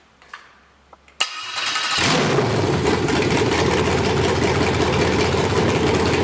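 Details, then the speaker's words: 5.3L LS truck engine with cable throttle on MegaSquirt 2, setting up new stepper idle air control: catches after a short crank and holds a fast, steady idle that never drops; owner wonders if it isn't warming up. "interesting it didn't come down i must not be getting too warm up at all i wonder why that is"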